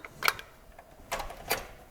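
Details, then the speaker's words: Engine-damaged Range Rover L405, engine turned slowly by hand clockwise: a few sharp, separate clicks with quiet gaps between, as if the timing chain is slipping and then catching; skipping confirmed on review footage. "Did you hear that sound? Yeah. Like a big click. Yeah. as if the chain is slipping and then catching. Slipping and then catching."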